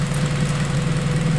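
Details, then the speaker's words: Acura RSX four-cylinder first startup after return-style fuel system rebuild, fuel pressure just under 45 psi, no leaks, AFR about 14.7: short steady idle, even low hum with no stumble or surge; normal idle. "Alright guys, here we go. Sounds like she's doing alright."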